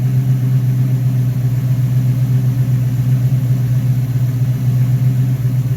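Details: Rebuilt Rochester Quadrajet 7029202 from a 1969 Corvette (ethanol-damaged fuel bowl cleaned up), first start after rebuild: deep, even V8 burble at steady idle, no misses or ticks; normal idle.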